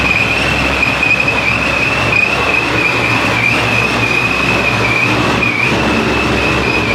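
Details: 441 LSX C6 Z06 with F-1X ProCharger and straight-pipe exhaust, E85/methanol tune, first start-up: loud steady idle with a constant high supercharger whine, no knocks or misses; engine light on, evap delete suspected.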